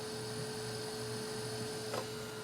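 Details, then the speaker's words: Asus Essentio CM6850 desktop (Core i7, 8 GB RAM) running with the case open, a temporary old ATI Radeon card and an added rear case fan: steady whirring hum at a constant high fan tone, mostly from the graphics card fan running normally. "so uh now you can listen to the sound I forgot to turn it on a lot of that sound is actually coming from the graphics card thing on this old ATI"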